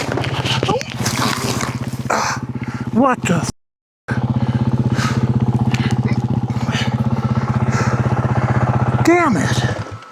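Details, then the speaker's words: 2025 Yamaha WR450F single-cylinder dirt bike revved after a fall into a gully, uneven and labouring; owner suspected it was loaded up from the fall, but the front brake master cylinder perch had moved, leaving the front brake dragging. "You'll hear me rev the motorcycle up trying to clean it out. I thought maybe it was loaded up from the U fall and the time down in the gully."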